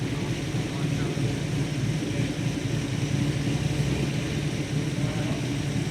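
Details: 1970 XY Ford Falcon GT, first engine start after a 5+ year rebuild: deep, steady low rumble idling evenly, no distinct knocks, ticks or misses; engine running after rebuild.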